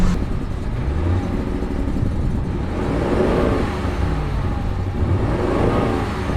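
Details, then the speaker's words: Ford F-150 2.7L EcoBoost twin-turbo, freshly installed engine, check engine light, smoking exhaust, just started: hunting, stumbling lumpy idle running very rich; leaking fuel injectors dumping fuel. "It is just dumping fuel. I mean, like right now. She's running richer than Forrest Gump."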